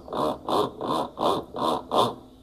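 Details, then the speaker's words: Brastemp top-load washer after its mechanism was replaced: rhythmic scraping, about two and a half strokes a second, during agitation only, with spin normal. The pulley rubs the cam kit; the fix is a serrated washer under the pulley. "O barulho que ela fica fazendo é esse barulho, ó. Como se fosse um raspado. Na hora de agitar, na hora de centrifugar, tá normal."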